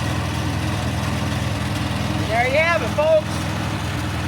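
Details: Vintage 1950s Farmall Cub tractor just after carburetor cleaning and refitting, fuel petcock opened: small engine starts and ticks over with a quick even pulse, settling into a healthy regular idle: normal running.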